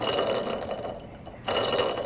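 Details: Toyota Bandeirante 4x4 transmission bearing, removed during gearbox overhaul, spun by hand gives a dry, gritty rattling grind with fast irregular clicks; broken rolling parts left iron dust throughout the gearbox.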